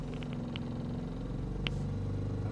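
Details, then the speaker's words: 2019 Honda Pilot 3.5L Earth Dreams, 6-speed, stationary, mic inside the cabin: a low droning roar like a bad wheel bearing that grows with a light rev, not audible under the hood; cause is a failing high-pressure fuel pump by the firewall. "But anyways, it's just a bad high pressure fuel pump. It's right up against the firewall. You can't hear it underneath the hood, only inside the car."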